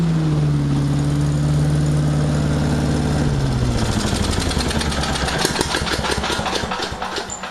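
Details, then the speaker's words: Small single-cylinder commercial-grade engine after a full rebuild, started with choke and throttle: settles into an even idle, then revs up cleanly with crisp firing and no misses; normal running. "Well, that thing runs really good. Definitely friggin' a commercial grade son of a bitch."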